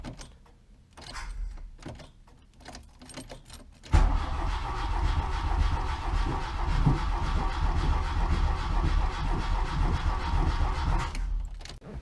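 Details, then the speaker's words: Mk1 VW Rabbit after reassembly and new timing belt/tensioner, first crank: steady cranking, three to four turns a second, no firing; no spark, distributor found unplugged. "Well, either your timing's off or the spark's off. Kind of sounds like it's not getting spark."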